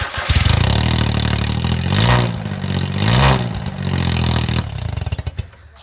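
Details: Smart Car with custom mandrel-bent exhaust and 180 bend welded on, before muffler fitted: loud, raspy note rising and falling through throttle blips, otherwise running cleanly; normal open exhaust without muffler.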